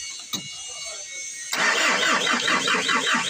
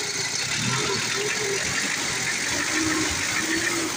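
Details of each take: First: Old-model Ford diesel, hard starting: starter churns in a steady, slightly uneven rhythm for a couple of seconds but engine never catches; injection pump and injectors judged at fault, not delivering fuel. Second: Old-model Ford diesel that had been hard to start, running after injection and injector work (white smoke seen earlier): even, clattery idle with no misses, stumbles or hunting; normal healthy idle.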